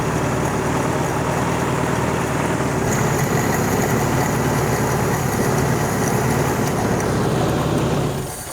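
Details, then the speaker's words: Toyota abandoned 20+ years in a junkyard, after replacement carburetor fitted: strong, even idle with steady low beat, no misses or knocks, settling smoothly, charging; runs well, still needs radiator, air filter, clutch. "That sounds pretty good. I can hear the accelerator pump working on this carburetor. So that's already an upgrade."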